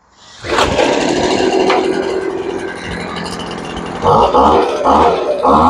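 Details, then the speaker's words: Poulan Pro blower after carburetor adjustment, restarted cooled off after a couple of hours without choke. It catches within a second, settles into a steady buzzing idle and blips up cleanly several times. Runs healthy and happy. "Yep, she's pretty happy. So that's the end of that one."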